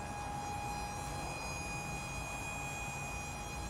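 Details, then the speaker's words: Nissan Titan XD diesel during cranking with a full tank and low fuel pressure warning: steady high whine of the fuel lift pump over a low rumble, failing to build pressure; owner first suspected a failed CP4 pump. "Yeah, it's giving a low fuel pressure warning. >> Yeah, I think >> you can hear that pump back there whining pretty good."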